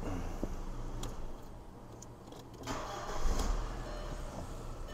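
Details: 2002 VW Passat with a no.4 misfire and no.4 injector circuit code, codes cleared: cranks briefly, catches cleanly, settles into smooth steady idle with no stumble; healthy, no misfire on test drive.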